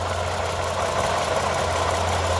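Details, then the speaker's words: 2014 Toyota Camry SE V6 during a pre-purchase inspection: loud steady growl under an otherwise even idle; inspector says it is most likely the water pump, a common growl on these cars, not confirmed. "So, this loudness is going to most likely be water pump. It's pretty common on these for them to growl like that."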